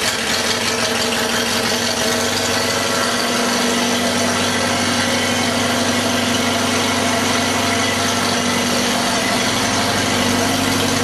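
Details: 1948 Farmall F Cub tractor idling after a cold start at about 30°F ambient, 12V battery on a 6V system, with a full fuel bowl: even firing under a bright mechanical clatter, starts easily and runs well.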